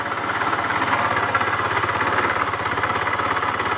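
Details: GY6 scooter engine idling, still noisy with the drive belt removed and exhaust and clutch checked: a loud, rapid metallic rattle-knock throughout, which turned out to be a worn big end bearing.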